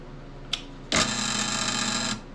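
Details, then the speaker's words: Late-1970s Rockwell/Beaver bandsaw motor, first test after wiring a new cord in: switch click, then a steady bright hum for about a second with no breaker trip. Normal running. "let's see if she blows the breaker or if it works or if it sounds horrible we'll uh find out right away ready sort of make sure you're still in uh in frame here we go aha which actually sounds good"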